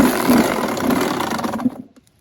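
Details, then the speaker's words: Suzuki RM85 two-stroke dirt bike, cheaply bought, kickstarted: buzzes raggedly under two seconds then stumbles and dies, won't idle; owner suspects carburetor, and earlier thought it may need a crank; unconfirmed, engine to be torn down. "it doesn't idle for some reason probably just a carburetor but you ready for this engine"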